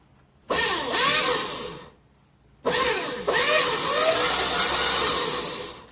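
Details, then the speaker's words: Vintage hydraulic unit's electric motor, possibly rebuilt, bumped direct at the motor from a jumper pack with the control switch missing: two even high-pitched whines, clean starts, no grinding; lever sprays fluid, pump is good. "sounds good if i move that lever it should spray fluid and it does okay we have a good one"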